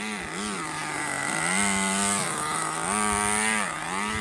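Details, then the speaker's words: RC nitro engine restarted after more than 2 years of storage, warming up: high buzzing engine blipping up and down, slightly burbly and uneven at the bottom, tuned on the rich side. "that means it's on the richer side."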